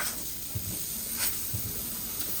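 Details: Breville Barista Express BES870 steam wand after about 10-15 seconds of heat-up: a steady, airy hiss with soft low pump pulses signalling temperature is reached, strengthening over time; normal steam output.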